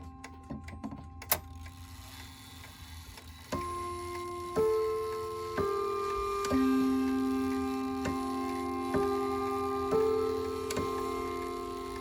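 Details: Ridgeway wall clock after overhaul and cleaning: steady tick under clear ringing chime notes about once a second; earlier fault was oil or grease on the hammer post, now normal ticking and chiming.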